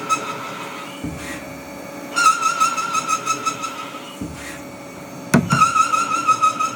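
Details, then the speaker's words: CNC lathe turning a TR28x5 trapezoidal internal thread in cast iron on spring passes: a wavering high squeal during each cut that drops away between passes; the threading tool chatters once the tip is enclosed by the thread at depth. "doing spring passes now. And this is really where the chatter comes."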